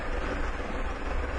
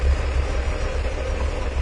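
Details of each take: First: 1997 Mercury Villager that had a rough idle, stalling and then no-start, idling smoothly after the EGR valve was found not closing fully at idle; steady even rumble, fuel trims returning toward zero. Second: 1997 Mercury Villager, warm engine, long-standing rough idle and stalling: low, lumpy, slightly uneven idle; applying vacuum to the EGR valve causes no change, so the EGR valve is stuck open although the diaphragm still works.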